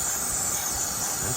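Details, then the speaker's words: Mercedes OM642 diesel with about 10 psi shop air fed into the engine, not running: a steady, sharp hiss from an open bolt hole where a bolt fell out after a water pump change, causing the oil leak. "oh it's a screw hole the customer stated that ever since he changed the water pump he's been leaking oil now we know why one of his bolts fell out"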